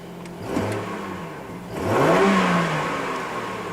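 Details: 2007 Chevy Trailblazer with ABS codes C0035/C0244 that hardly accelerates from a stop; engine revved in park shortly after start, not yet warm, and it revs up cleanly and drops back smoothly with no knocks, rattles or misses; engine sounds healthy.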